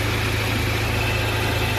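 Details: Hyundai Accent Verna idling during inspection, wheel turned: smooth, even idle hum with no whine or groan as the wheel turns; power steering normal, AC compressor also smooth.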